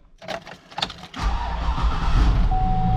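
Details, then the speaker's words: 2005 Cadillac Escalade LQ9 V8, 178,000 miles, first (cold) start of the weekend: a few clicks, then it starts right up and settles into a smooth, even idle with no lifter tick; making oil pressure. "starts right up this is the first start in the the entire weekend no lifter tick 178 000 miles she's making oil pressure"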